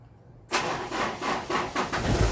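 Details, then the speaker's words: Car that is hard to start in the mornings and sometimes needs a push start, battery or starter motor suspected, fourth attempt: slow, heavy cranking pulses about twice a second, then the engine catches. Slow cranking, weak battery suspected. "Ini ya, ini bisa akinya, bisa juga dinamonya yang berat ya. Nanti saya jelasin ya."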